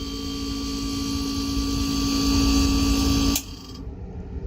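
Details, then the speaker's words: Refrigerator not cooling, with the old compressor start relay and capacitor fitted: fan runs, steady hum and drone for about five seconds, then a tick and cutout. Start relay or capacitor suspected. Compressor short cycling. "so you could hear that tick that comes on for five seconds and ticks off it's not kicking on"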